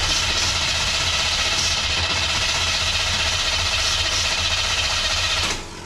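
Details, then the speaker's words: 1979 Chevrolet Camaro with freshly fitted Quadrajet carburetor, cold, choke wired open, idle screw adjusted: uneven stumbling idle about four beats a second over hiss; runs rough. "It doesn't like that at all. Doesn't like that one bit."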